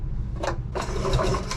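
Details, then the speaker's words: Rusty Hirth 440 snowmobile engine pulled over on the rope with the spark plugs out. It makes firm, even lug-lug-lug pulses, showing good compression. "She makes a good lug lug lug sound even with the spark plugs open, so she's got good compression."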